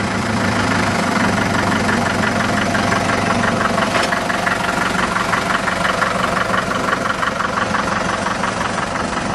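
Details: Restored Farmall Super MTA diesel tractor, rear engine seal replaced: even diesel clatter at low steady idle, about three beats a second, no misses or knocks. Normal idle.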